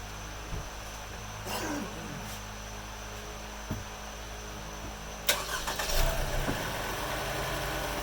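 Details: Truck that won't start, tested after its electrical connectors were cleaned. The starter turns the engine in uneven bursts but it never catches: crank no-start, cause still undiagnosed.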